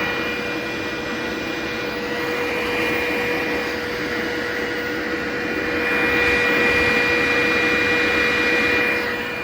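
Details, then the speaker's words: Glowforge laser cutter with Air Filter Attached setting off, so full intake and exhaust fans run, rear exhaust unplugged: steady airy fan rush with constant whine; normal fan operation. "And then can you hear me blocking the fan? Okay. Stop it. So you hear that fan spinning down."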